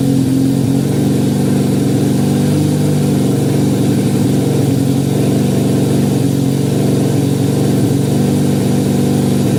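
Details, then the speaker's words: 1968 Honda CL175 with 300cc supercharger, first start in 30 years, hot garage around 92°F; steady fast throbbing idle that won't settle, idling high; owner suspects vacuum leak, carburettor jetting, or oversized blower. "Well, definitely wants to idle high. There could be, or there are several reasons for that, but I'll just have to figure that out another day. It could be a vacuum leak."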